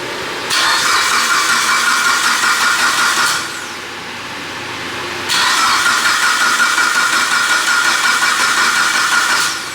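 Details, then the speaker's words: Mitsubishi Evo 9 built motor with new turbo setup, first start: cranking only to prime oil so pressure reaches the turbo before firing. It may not start because TPS is not set and a 5-bar MAP sensor replaced the 4-bar. Two even cranking bursts with no firing; normal cranking. "lzo finished putting oil he's going a prime the oil make sure oil pressure goes through the turbo and everything's good before we actually fire it"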